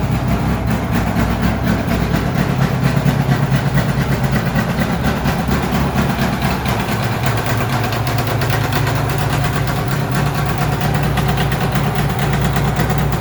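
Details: Polaris XC600 two-stroke snowmobile, first run after new rings, long-stored sled: loud, raspy, choppy idle with a sharp blatting edge because the exhaust gasket is essentially gone; exhaust leak.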